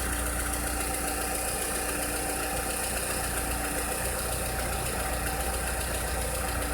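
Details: 2006–2007 Volkswagen SpaceFox engine at idle; a constant mid-pitched tone with a rough, uneven ticking clatter riding over it: abnormal engine noise, cause unclear.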